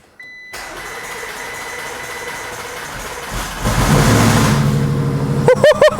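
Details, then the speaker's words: Audi RS7 non-runner with rebuilt engine just refitted, only 5 of 9.5 L oil in, started for about 5 seconds on battery boost: starter whirs briefly, engine catches into a strong even idle, then shuts off; normal engine start. "Oh, that sounds sweet! And off. Oh, that sounded epic. Oh, at least it runs, as I said, 5 seconds."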